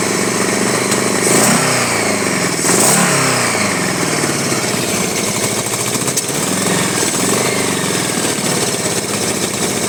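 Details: 1983 Honda Goldwing Aspencade project engine running for the first time, started on full choke with throttle held wide open: ragged, stumbling beat with surging revs; rough running that needs tuning, carburettor suspected, not confirmed.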